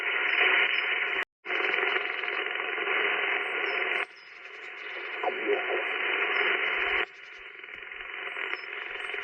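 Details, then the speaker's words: Ham radio in an SUV with solar charging unit (10–12 W bulk charge, cloudy day): loud hissing, unevenly pulsing rhythmic static, dropping from about S3–S4 to S2 when the panel is unplugged; solar charger RF interference, probably wideband. "okay so there's there's a huge difference when i unplug the solar panel uh the the noise is almost like a rhythmic noise"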